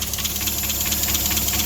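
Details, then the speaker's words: Mazda Miata idling right after the new supercharger intake install: even idle under a loud, steady airy hiss. Owner suspects a vacuum leak but says the completely different intake might explain it. "I do hear what sounds like maybe some vacuuming leakage but that might just be because it's got a completely different intake in it"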